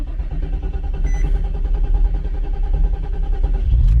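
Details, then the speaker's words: 2006 Infiniti G35 coupe, 151,000 miles: idling high and surging up and down with a deep, uneven drone; crankshaft position sensor suspected of acting up, idle reset planned. "But I'm gonna go ahead and reset this idle, because it is idling pretty high and it surges up and down."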